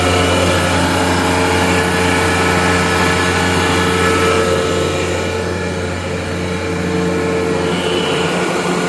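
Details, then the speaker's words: Gardner Denver Electra Screw rotary screw compressor (EBE99K), 24,873 hours, freshly serviced, just after start-up at 57° ambient, building pressure; steady loud hum with even motor tone, quiet unit, no knocks or rattles; normal running. "Walk around with the unit running. Very nice, quiet unit. See, the unit is building pressure."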